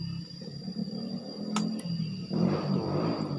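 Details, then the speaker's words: Honda Beat injected motorcycle at key-on: two sharp relay clicks but no fuel pump hum; pump only hums after ignition on ~30 seconds; ECU suspected, fault traced to the pump's ground path via ECU. "Relaynya bunyi cetik, tapi full pumpnya ini tidak mendengung. Coba dengarkan ya."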